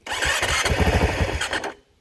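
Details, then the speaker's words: Motorcycle 450L, first startup after reverting to stock, tank refitted and pump primed: catches, sputters unevenly under two seconds, then cuts out; lean stock tune with electronic choke/idle adjuster suspected; hard start, stumbling. "It's how lean this thing has to run that they put, if I can find it anymore. Yeah, that nice little electronic choke. Also is the idle adjuster."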